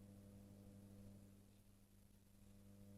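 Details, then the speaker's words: Columbia valve amplifier after fitting a 220-ohm cathode resistor: steady low buzz near 100 Hz with harmonics, about -60 dB at the speaker; rectified mains hum on a 50 Hz supply that vanishes with the mid control up and grows with reverb. "Quite a bit of hum. So on the F&T plot, we've got a hum at 94 hertz. So that's rectified hum."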